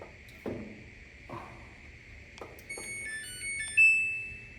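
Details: Samsung dryer that hummed without tumbling (suspected faulty motor), plugged in for testing after repair: a few clicks, then stepped electronic beeps ending in a held tone; normal power-on chime.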